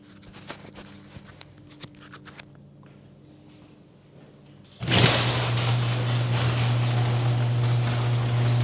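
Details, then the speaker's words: Garage door opening before lubrication and maintenance, mic clipped to opener's emergency release string; light clicks, then loud opener hum and harsh rattling rumble, not smooth or quiet, from a dry unlubricated door. "So, as far as I'm concerned, that was not the smoothest operation, nor the quietest."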